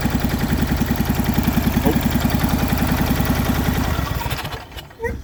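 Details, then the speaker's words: MTD Yardman riding mower twin, first start in years, valves just adjusted, new starter, choked, booster pack, old fuel: lumpy uneven thumping then stumbles and dies; one spark plug wire left unhooked, running on one cylinder. "I forgot to hook up the spark plug wire right here. It was actually only running on one cylinder, so that actually wasn't bad for one cylinder."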